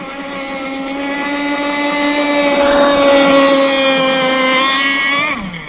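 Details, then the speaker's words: Zenoah 30cc two-stroke RC boat engine with a new piston and ring, being leaned out: clean, steady high-pitched scream holding at full throttle, then dropping off smoothly. It winds out well and sounds healthy. "So we're going to give it just a touch, because I think it's pretty much there. It sounds like it's winding out pretty good."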